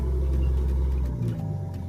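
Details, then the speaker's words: Turbocharged Nissan GQ Patrol on an eBay kit; deep, uneven rumble that wavers and dips instead of settling; rough idle because there is no idle control setup, so idle is set only by throttle body tension. "The reason she idles so poorly, guys, is because there's no idle control setup on this setup."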